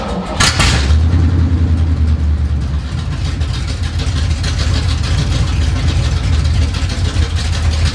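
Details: 1970 Chevy C10 revived after sitting 10 years, idle and mixture screws adjusted: brief crank, catches, settles into a steady low rumbling idle without stalling or hunting.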